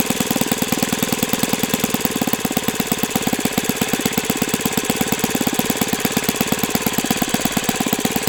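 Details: O.S. FS-91S II four-stroke glow engine on test stand, first run: crisp, even firing at a steady fast beat with no misses or surging. Owner says it feels freer once at operating temperature; normal running.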